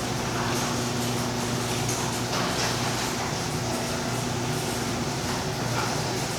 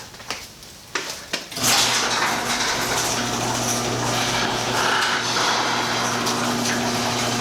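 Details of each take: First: Impact-rated garage door about 3–4 years old, after lubricating its joints, wheels, rails and shafts to cure a squeal: soft, even motor hum with no squeal, and inaudible inside the house; normal quiet operation. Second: Impact-rated insulated garage door, 3–4 years old, after lubricating all joints: clunks then steady rumble with only faint occasional squeak, much quieter than the earlier squeal; noise not fully gone yet.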